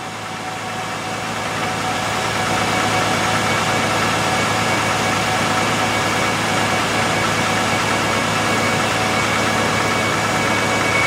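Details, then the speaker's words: 2004 Honda Pilot just after an engine swap, idling with the A/C switched on while a refrigerant can is charged: steady idle hum as the compressor and fan kick in and run normally. Vents soon blow cold. "there goes the compressor fan kicked in shouldn't take any time at all to suck this can down"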